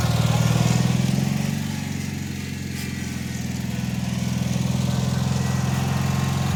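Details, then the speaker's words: Cub Cadet 782 with Kohler single-cylinder engine, after a carb cleanout of rust and a swap from mechanical to pulse fuel pump, mowing heavy grass: fast, steady putter holds speed without bogging, engine does not slow, plenty of power. "so that was some pretty heavy stuff and I just kind of blew through it I wasn't trying to go for quality of cut I wasn't trying to knock it down that engine just does not slow down it's got plenty of power"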